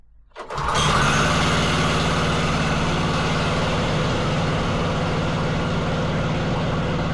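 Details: Wacker Neuson VP1030 plate compactor, bought used: the single-cylinder engine catches into a fast, uneven beat but won't keep running without the choke. Cause suspected, not confirmed.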